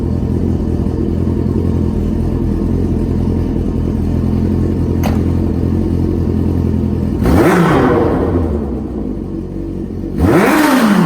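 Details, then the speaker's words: Smart car after carb cleaning and rejetting: steady idle then two sharp throttle blips that climb and settle back cleanly without stumble; clean throttle response. "all right we're gonna see how the throttle response is if it blips real nice"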